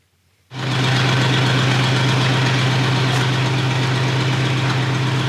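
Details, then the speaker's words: 1970 crane truck V8 that sat ten years unused, running after new Carter fuel pump installed, fed through carburetor: catches at once, smooth even idle with no misses or knocking, runs smooth as silk; smoke is just spilled fuel burning off manifold; normal idle. "all right so we got the engine running again got fuel going to it through the carburetor runs smooth as silk"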